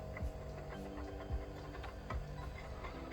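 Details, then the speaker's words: Portable DVD player after heating and pushing up the plastic the disc used to rub; low soft hum with faint irregular ticks as the disc spins, no rubbing or grinding, acceptable noise unlike before, drive normal. "Et là, ça tourne et il n'y a aucun bruit. Et c'est nickel ça. Et le DVD il a démarré."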